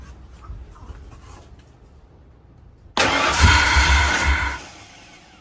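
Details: 1968 Mustang with swapped Ford Explorer fuel-injected 5.0L V8 and 4R70W transmission, first start attempt: after a quiet pause the starter churns about four beats a second for a second and a half, then dies without catching.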